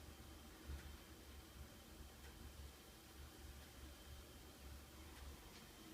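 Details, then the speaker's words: American Furnace Company (AFCO) natural-gas gravity-feed furnace, no fan, apparently from 1948–1953, in basement: quiet, soft low rumble of steady flame with no banging or flutter; normal burner operation, though flames uneven and owner thinks burner may need cleaning. "There's the burner. The flames aren't super even. I imagine that burner could use a cleaning or something, but that's basically all this thing is fire in a metal box."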